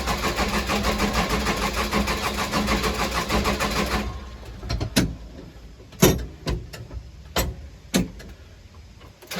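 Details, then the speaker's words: Case 580 Super L backhoe diesel run out of fuel, primed with the hand primer that draws air in the tank; about four seconds of unhealthy rhythmic cranking, trying to kick but not firing, then loose clunks, fuel starvation. "Come on, baby. Don't sound healthy as cranking, but it's trying to kick."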